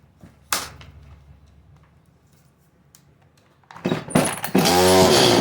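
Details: Chainsaw (CS310) after refitting the clutch spring and resetting the low-speed jet screw: it fires up and settles into a steady, even two-stroke idle, and the chain no longer spins.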